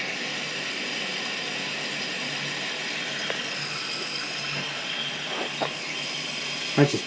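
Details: Three-gallon toilet with a weak flush that needs several flushes: steady rushing flow with a few sharp ratchety clicks near the end as it drains; something suspected at the bottom of the toilet, cause not yet found; toilet clicking noise.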